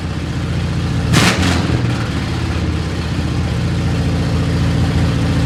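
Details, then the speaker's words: 1970 Chevy C10 revived after sitting 10 years, carburetor mixture screws and idle adjusted: carbureted V8 idles on its own with a steady low rumble and even beat, no knocks, misses or hiss; normal idle. "but we're gonna go ahead and fire it up here so that you all can see it does in fact run"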